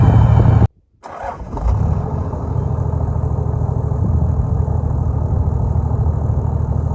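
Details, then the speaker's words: Toyota Land Cruiser 105 series diesel after a dyno tune at HPD, idle wound up slightly: deep, steady rumble that settles after a short dropout, with no knocks or misses, a healthy idle with a slightly different tone. "I think I've noticed they've wound the idle up a little bit, which gives me more accelerator at hand."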